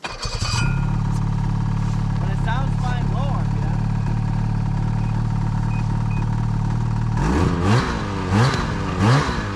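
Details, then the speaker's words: Freeride two-stroke snowmobile on the trail: a steady drone, then rough blips that never reach top rpm, sounding like misfiring; lost top-end power, with lack of fuel, the injector or a tired top end suspected. "hey so right now caleb just doesn't have the top end power anymore we're not quite sure what it is but it doesn't sound right and it kind of just sounds like it's farting all the time"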